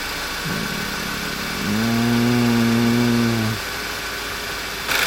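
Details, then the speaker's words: 2011 Passat that ran poorly, after the failed PCV was fixed: engine catches and settles into a steady, even idle with no miss or hunting, smooth like it used to be. Normal idle after repair. "So listen to it now. It's smooth now."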